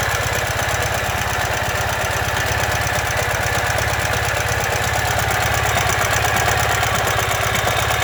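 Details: 2015 Ural Ranger at idle: a heavy, even knock at about three beats per second runs through the engine, the sound of a collapsed front crankshaft main bearing.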